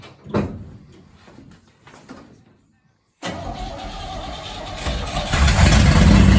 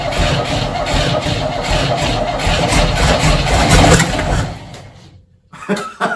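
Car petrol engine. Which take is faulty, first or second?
second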